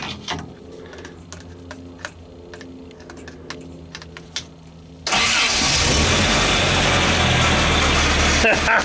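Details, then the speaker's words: Toyota 4x4, cold wet day, started after reinstalling its computer: quiet ticking, then the engine catches and runs loud and rough with a rattle from the power steering pump, low on fluid. "low on power steering fluid that's what that rattle is but she started right up"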